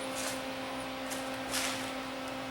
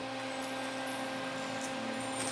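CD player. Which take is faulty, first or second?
first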